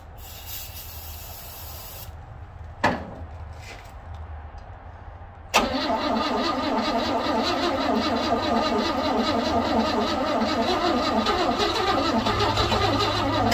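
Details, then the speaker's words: 1960 Grumman Olson Kurbside step van, 235 engine unstarted since 1992, cold (30s°F), external fuel tank plus starting fluid: long steady crank about three and a half turns a second never catches; owner thinks it flooded, and one spark plug wire was left off. "So I think I kind of flooded it out there, and also noticed that I had this spark plug wire right here off when I was doing testing, and I didn't get it back on."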